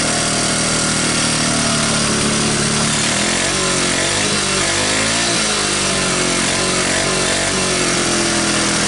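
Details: 1985 Honda ATC125M single, revived after seizing, PZ27 carb and portable 12V CDI, just after cold start: steady buzz, revs drifting gently, even firing with no knocks or misses; runs normally.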